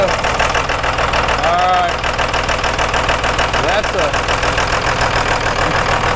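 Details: 1998.5–2002 Dodge Cummins with VP44, after installing Fleece PowerFlo in-tank lift pump and bleeding injectors: steady even diesel clatter, no stumbling or surging; smooth healthy idle, no leaks.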